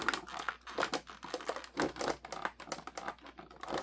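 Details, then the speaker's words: Newmar Dutch Star 4018 motorhome dash, instrument cluster trim being refitted with flock tape: irregular dry crackling and creaking bursts in a quiet cab, plastic rubbing on plastic at the cluster trim; plastic trim creak. "Listen, it's all creeks again. Plastic on plastic."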